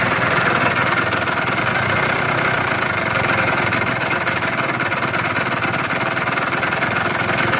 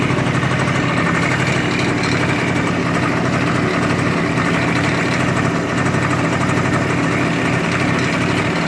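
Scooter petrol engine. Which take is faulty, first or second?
first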